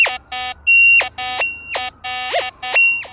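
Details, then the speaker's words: Nexus MP V3 metal detector after ground balancing, VCO tone on: choppy burst of about six short warbling beeps with wavering pitch, a definite iron response before switching discrimination to the 10 kHz setting. Iron target signal. "definitely iron I'm going to turn on my discrimination to my 10 khz setting"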